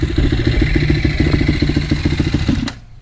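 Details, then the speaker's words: 2007 KTM 450 SX-F single-cylinder after a start-up problem fix, started on the fourth try, still cold: steady fast thumping with light clatter, then stalls from too much throttle; normal cold running. "And she just died because I gave a little bit too much gas. She hasn't warmed up."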